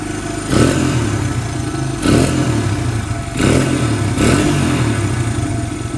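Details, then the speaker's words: Barn-find Honda single-cylinder four-stroke dirt bike, parked for years, just fitted with a carburetor, old oil; idle slightly high, blipped four times and dropping back cleanly each time, runs strong and even. "That stuff right there is why everybody loves Honda so much. This thing's been parked for years. Threw a carb on it. Just fired right up."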